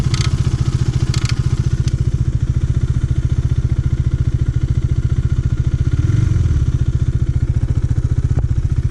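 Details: KTM Duke 390 single at idle, noise that began suddenly mid-ride: steady thump with a loose metallic clatter riding over it; faulty cam chain tensioner, replaced.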